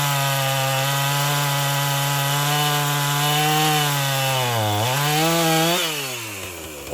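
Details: Husqvarna 450 chainsaw, bought too weak to spin chain, rebuilt; two-stroke screams at steady high pitch, dips and recovers as chain bogs into wood, cutting cleanly under load; fault likely a .058 gauge chain on a .050 bar.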